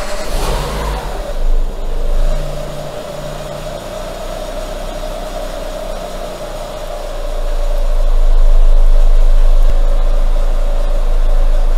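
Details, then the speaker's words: Renault Megane II, K4M petrol engine, manual gearbox, cold start warming up until the cam phaser engages: harsh clatter in the first second, then steady idle; cam phaser tried to jump and twitches occasionally, possibly a faulty camshaft sensor. "Фазорегулятор пытался перескочить. Кстати, время от времени оно слегка подёргивается ."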